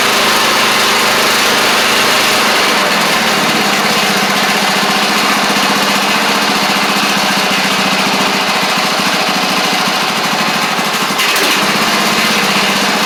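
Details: Craftsman DYT4000 riding mower after sitting about 2.5 years, started with only fresh gas and a little choke (choke was stuck): buzzy single-cylinder engine steady and even, no misses or knocks, small dip late on; sounds good. Normal running.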